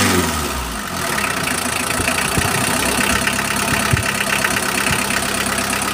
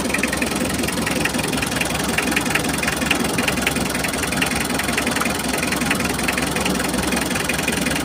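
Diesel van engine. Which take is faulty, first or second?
second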